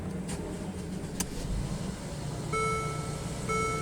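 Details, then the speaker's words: 2013 Mercedes ML350 with a no-crank no-start (code U012087) after AC work, belt refitted: the engine catches and settles into a quiet, smooth idle with a couple of dash chimes; it starts normally. "she's awake"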